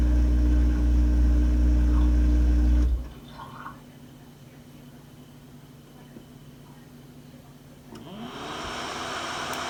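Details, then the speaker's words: Samsung DW80R5060US dishwasher in diagnostic mode, test 4 (drain test): a steady drain pump hum runs a few seconds and stops, then the sink gurgles as water drains through the pipe tail; normal drain. "Test number 4 is draining the water test. And of course the sink gurgles. That means we have a pipe tail."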